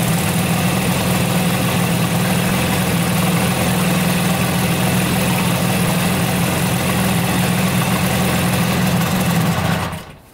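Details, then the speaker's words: 1971 Yamaha CS200 twin-cylinder two-stroke, sat over 17 years, compression 125 psi: uneven lopsided idle, only one cylinder firing; misfire on one cylinder, owner suspects carbon-clogged exhaust pipe on that side, possibly broken part with missing spring. "It's running pretty good on this cylinder. On this cylinder, we still have to figure out what the problem is. I think it's the pipe."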